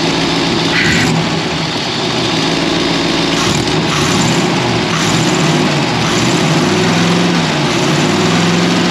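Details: Ford V8 with 4-barrel carburetor, after sanding a sticky slide-linkage spot that made the 4-barrel stick open, hood open: steady idle with clean throttle blips that fall straight back with no hang; healthy, returning normally.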